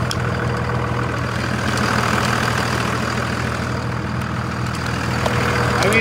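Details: 2001 Dodge 2500 Cummins diesel after repair, with a suspect VP44 injection pump and a lift pump that had been acting up: a steady, even clatter at idle with no misses, hunting or surging. The engine sounds healthy.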